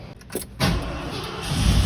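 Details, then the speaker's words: 1984 Ford Bronco XLT with variable venturi carburetor, sat 20 years: after a few quiet clicks it catches with a low rumble, running briefly on sprayed carb cleaner before faltering. "I'm gonna see if this thing will kick off with some carb cleaner or something cuz I just can't stand it, you know."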